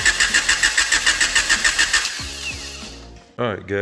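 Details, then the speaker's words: Honda Accord CB7 with swapped JDM F23A VTEC engine, no radiator, short start attempt: starter spins evenly about 3.5 turns a second but never fires; crank no start, ruled out distributor and crank position, cause is no fuel. "but i figured out my issue and thank god it is not the distributor it is not that um crank position stuff that's what was wearing me um i'm having an issue of just not getting fuel"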